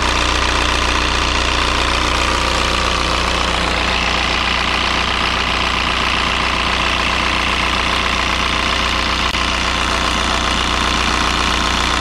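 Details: 2003 VW Jetta TDI 1.9 ALH diesel just after fitting an 11mm Bosch VE pump, air likely out of the lines: steady, even idle with regular clatter, no misses; normal idle.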